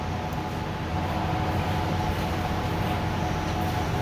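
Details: Ford 6.7 Powerstroke (2011–16) frame-mounted fuel pump, not in-tank, running after replacement while purging air: steady, even whir over low rumble, no surging or screech; normal operation, with residual air squeal later gone on road test.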